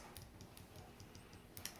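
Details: Used Halo 5 Xbox One controller, d-pad after repair by reducing top bend to stop sticking: crisp separate clicks four or five a second, sharp and clean, no mushy drag; d-pad now working properly.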